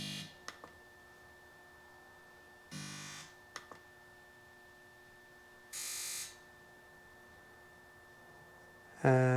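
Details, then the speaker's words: 2001 Sea-Doo RXDI, not charging, only 40 mph, slow acceleration, on battery charger: three short separate half-second buzzes in a quiet room as fuel pump and RAVE solenoid activate on command; electronics normal, rectifier later found faulty. "fuel pump we know works. Rage solenoid. Okay. So, all the electronics are working."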